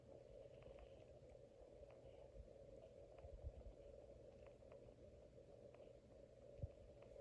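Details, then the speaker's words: 2003 Casablanca 19th Century ceiling fan in weathered copper, long down rod, running on speed four: a quiet steady motor hum amplified by metal-to-metal mounting, with faint irregular clicking; owner suspects worn bearings. "So when you change the speeds and when the motor runs, it's really amplified. So it's kind of noisy. I can even hear it humming from here."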